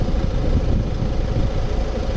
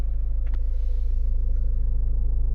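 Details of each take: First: 2015 Ford Mondeo MK5 estate at idle: steady low rumble and hum heard in the cabin from the passenger side rear, caused by a loose fuel pipe and cover vibrating under the car; fix is clipping the pipe back. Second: 2015 Ford Mondeo MK5 estate, heard in the cabin after zip-tying the vibrating rear fuel pipe cover: steady low even engine hum with no buzzing or vibration rattle; normal idle after fix.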